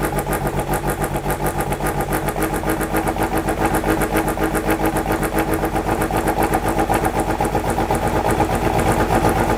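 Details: Rough idle on a 97 Miata with stock block, fully ported head, 264 cams and Maruha ITBs at first start. Lumpy, uneven idle pulsing about four times a second. Burnt-out TPS makes the Freedom ECU read wide open; throttle may need resyncing.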